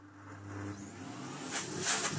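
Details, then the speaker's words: Philips Blue Magic Silence TC739 vacuum cleaner first switched on: motor starts with an abrupt, jerky surge in uneven spurts, then settles into a strong rushing airflow louder than the motor. "oh that was a bit of a jumping start but frankly oh that is an air mover and a half"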